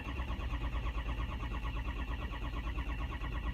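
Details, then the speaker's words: Dexter's truck, 68,000 miles, died on the road: steady slow cranking about once a second, never firing. Injection control pressure (ICP) never builds and bleeds down with key on; high-pressure oil leak suspected (possibly STC fitting or dummy plug). "it ain't gonna fire that ICP never not getting up where it needs to be"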